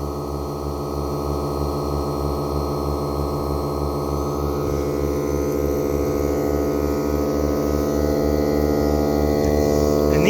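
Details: Battery-powered tyre inflator on a smaller battery: even motor hum with a quick regular pumping pulse, about three per second, holding steady; working normally.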